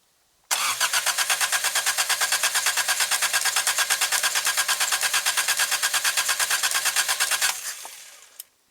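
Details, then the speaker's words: 1984 Toyota Tercel 1.5 L carbureted 3A engine, out of the car after sitting 10 years, fed from a primed boat tank: even starter cranking about three beats a second for seven seconds, never catching; dry float bowl, fuel starvation, accelerator pump not working. "Okay, so I'm going to have to give it a drink. I'm just going to put a little fuel into the float bowl, and it's going to get a drink."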